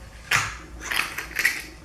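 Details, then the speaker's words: Legend Axeo front fork installed on a Harley touring bike, being pumped after adding part of the 3.5 oz fork oil: three short sharp hisses about half a second apart as trapped air escapes the tube, which can cause oil overspray. "you can hear that air escaping out of the tube. And that does mean that you've got some overspray that's going to happen."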